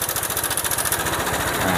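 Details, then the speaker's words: Honda PCX scooter at idle: fast, even rattling ticks that follow engine speed, cam chain slapping from a slack tensioner setting; pressing the tensioner by hand makes it smoother, confirming the tensioner adjustment as the cause. "nah itu memang sudah fix Ya bahwa masalahnya di setelan tensionernya"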